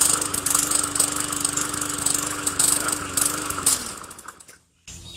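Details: Hyper Tough 20-inch push mower with Briggs & Stratton engine holding a steady even buzz then winding down cleanly, after shortening slack in the control cable linkage; previously started then stalled or wouldn't start.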